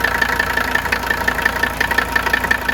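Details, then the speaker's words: Mercedes 300TD turbo diesel: sharp regular knocks, about six a second, above the diesel clatter and persisting off idle, a suspected internal knock before engine teardown. "some of you may say, well, that's just normal diesel clatter, but I don't think so. You're bringing off idle here. It's not going away."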